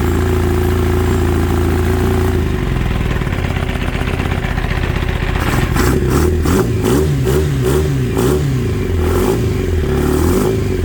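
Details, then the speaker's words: Kawasaki ZX9R four-cylinder sat 10+ years, first start on 2-cycle gas poured in, battery charger attached, fuel shut off and running the float bowls dry: uneven, lumpy beat with clatter as it revs; vibration felt in handlebar; abnormal sound, cause unknown. "Got a weird vibration in it that I can feel. Feel it really good up here in the handlebar control. It just doesn't sound right."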